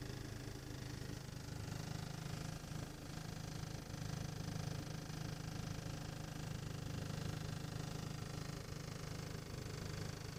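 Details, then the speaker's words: 1.8 TSI engine at cold idle, recorded inside the cabin: a deep drone with a steady throbbing knock and vibration that disappears with slight throttle and after warm-up; not heard outside or in the engine bay, and no fault codes. "вибрация слышно особо четко об салоне если дать газку немножечко тулы вибрация пропадает"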